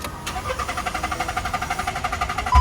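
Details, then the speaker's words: Car cranks but won't start despite cleaned throttle and new spark plug, ignition coil and canister solenoid valve: steady fast cranking at about eight pulses a second, never firing; crank no-start. "Try it again. It still won't start. Do you know what the reason is?"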